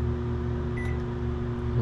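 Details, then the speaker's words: GE microwave after replacing the magnetron, which had caused loud buzzing and no heating: even, steady low hum with no harsh buzzing while heating water, which then boils; microwave running normally. "Definitely sounds better. We'll let it run for a minute and we'll see if that water's hot."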